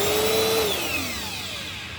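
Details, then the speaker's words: Bissell Powerforce Helix vacuum: a rough, hissy motor whine slides steadily down in pitch as the motor spins down, with a noticeable smell; worn motor bearings. "That's the motor bearings. Ooh, and it smells too. Yeah, that's smelly motor bearings."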